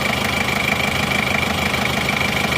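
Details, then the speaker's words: Chevrolet Trooper diesel after engine rebuild, warm at 75°C with thermostat fitted: even steady idle clatter, no misses, knocks or surging; smooth and crisp, no visible smoke. "ini suaranya halus dan renyah dari sini gak kelihatan asap juga"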